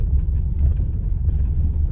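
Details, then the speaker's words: New Skoda Octavia driving over cobblestones, in-cabin: only steady low tyre rumble, no creaks or rattles from interior; cabin tight, apart from earlier tailgate strut creak fixed under warranty. "как-то не особо что ты скрипит закончилась площадка"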